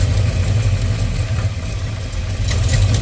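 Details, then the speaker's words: 1989 Dodge D100 with new headers and Borla exhaust: loud low idle surging and sagging unevenly, wanting to stall; unstable idle, cause not yet found. "Now I just gotta work on why it keeps wanting to fluctuate and idle and die."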